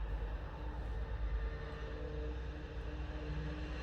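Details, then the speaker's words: Citroën C2 1.1 petrol 2010 after timing belt breakage, cranking: smooth, even, linear low drone with no compression beats, spinning too freely; lost compression from timing desynchronization, exhaust valves likely hit by pistons. "donc là on a un véhicule qui tourne assez de manière linéaire ce qui pourra indiquer effectivement une perte de compression et cetera donc une désynchronisation de la coix distribution ce qui indique de la casse au niveau de la distribution"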